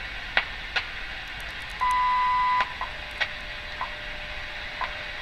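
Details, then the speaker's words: 1935 GE M-51 radio after restoration, shortwave band with test clip lead antenna: clean steady tone with crisp once-a-second ticks over light hiss, WWV time station received well; set working normally. "it looks like we have our WWV, and that's with the test clip lead. I'm impressed."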